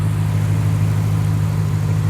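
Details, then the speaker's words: 2nd gen Ram 1500 after new serpentine belt fitted to cure a squeak: deep steady idle, no chirp or squeal from the belt drive; squeak fixed. "Let's start it up and see if it's going to make some noise. Well, as you can see, we're not squeaking. We are not squeaking."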